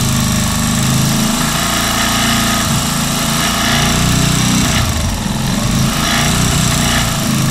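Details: Keeway Superlight 125 single-cylinder at steady idle: loud buzz with rough uneven rattle; abnormal engine noise and vibration, cause not yet found.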